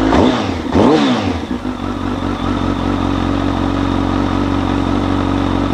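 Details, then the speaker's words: Street fighter motorcycle build, first run in 233 days after final mockup: two clean throttle blips then a steady, even idle with no knocking or rattle; normal running. "Man, that felt fantastic to hear this thing run again. It's been 233 days since the last time this motorcycle has ran."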